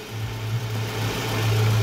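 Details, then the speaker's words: 2003 Toyota Previa 2AZ 2.4 L engine after timing set replacement, started on jump start (weak battery); previously took about 8 cranks and was noisy. Engine catches and settles into a steady, even low hum without misses or knocks; normal idle. "Ayan, may start na si 2AZ engine. 2003 to na Previa guys, yung makina na to."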